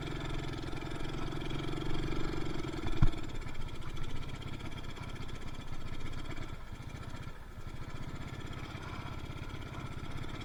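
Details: Yamaha Mio Soul carbureted scooter, before repair: low, uneven, lumpy chug, revs won't climb when throttle turned and it stalls on the road; too much fuel entering combustion chamber, rich mixture.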